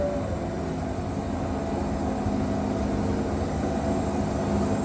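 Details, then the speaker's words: Wood-Mizer Super 70 sawmill with new drive belt (about 4-5 hours run) and resharpened 747 Turbo band, pushed almost wide open through a cut: heavy steady drone straining and sagging, no squeal; engine bogs before the belt slips, as tensioned. "But as you can see, I mean, I can push that thing almost wide open through there, and you can hear the motor. Just listen. You can hear the motor bogging down before it slips, and I'm pushing it so that you can hear that."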